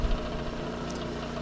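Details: Steady, even diesel chug at constant speed with no knocks or misses; the 10K diesel generator, newly installed at an outdoor shop, runs smoothly.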